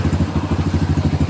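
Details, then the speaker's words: Kawasaki Barako 175 single-cylinder after fresh tune-up and retuned old carburetor (earlier hard start, stuck valve, worn cam): quiet, even thump, no clatter or misses, starts in one kick. Normal idle. "Napakatahimik pa ng makina niyan mga idol. Napakatahimik pa ng makina."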